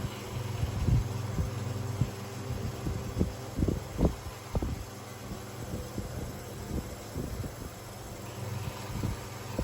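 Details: Oiled 1970s/80s Limit Ariel 12-inch oscillating desk fan, round-grille model, on high at about 84 W and around 1,357–1,436 ft/min; low hum with irregular scraping bursts as loose winding insulation rubs the rotor.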